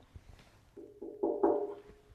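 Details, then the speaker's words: Shop-made steel pedestal for a Dayton bench grinder, tapped before being filled with Great Stuff foam: each tap rings out as a clear mid-pitched bell tone that lingers. Hollow resonance needing damping. "Uh, this is a pedestal for my Dayton bench grinder that I made in a previous video. I'll link it in the description. Um, it's got one one disadvantage. It sounds a little hollow."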